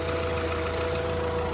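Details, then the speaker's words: Volkswagen Polo 1.4 petrol, 49,916 miles, found with no coolant and still losing it, oil fine, serviced 1,000 miles ago: hard diesel-like clatter at idle; cause not yet found. "It actually sounds like a diesel, even though it's petrol."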